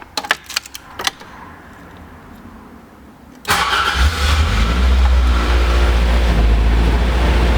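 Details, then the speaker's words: AE86 after repairs, in neutral with clutch pedal down: quiet clicks, short crank, fires instantly into steady, even idle with firm low beat; owner hears an exhaust heat shield possibly vibrating underneath. "clutch pedal down should fire up just instantly"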